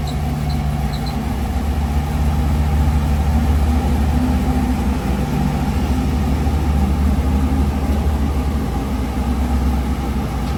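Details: 1973 Chevrolet Camaro LT with a 396 big-block and Turbo 400, turnkey. Deep, steady burbling idle with an even low throb and no knocks, ticks or misses; normal idle.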